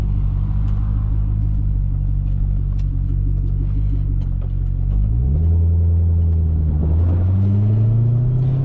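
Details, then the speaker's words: C6 Corvette with a 400+ hp V8 and manual gearbox, after a harmonic balancer, crankshaft bolt and seal replacement: deep, smooth rumble climbing with revs, a clean shift, then pulling strongly. The engine sounds healthy; only the clutch pedal squeaks. "But other than that, man, this car has been running very, very strong."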